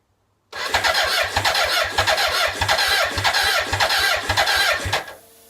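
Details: BMW K100 motorcycle: steady rhythmic cranking, roughly two to three turns a second, for about four seconds, but it never catches; crank no-start.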